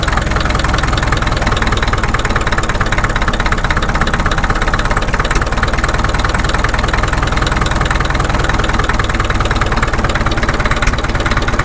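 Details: Caterpillar D2 (#5J1113) diesel at low idle on first start after full pony motor and diesel rebuilds, 30 psi oil pressure: deep even chug holding one steady beat, no misses or knocks, firing on all four cylinders, idling smoothly.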